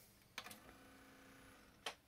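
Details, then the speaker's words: Onkyo TA-R440 single cassette deck from a thrift store, tape inserted, rewind tried with no display change: a couple of sharp mechanical clicks about a second and a half apart, then silence; transport engages briefly and stops. Cause not yet found. "okay so it just makes a noise and it stops it's not"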